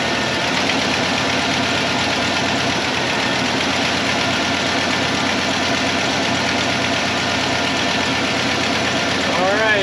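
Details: 1995 Ford F-150 V8 running on 7 of 8 cylinders; idle with uneven loping beat under a loud hiss; single-cylinder misfire, dead cylinder.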